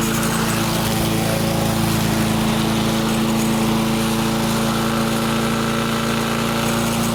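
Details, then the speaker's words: Restored barn-find Murray push mower, Briggs & Stratton single, primed and pull-started outside, cutting grass: steady, even drone at constant pitch, holds speed well. Normal running under load, though it seems to burn a little oil; owner suspects a possible valve adjustment. "Okay. Doesn't seem to be too bad. Does seem to want to burn a little bit of oil, though."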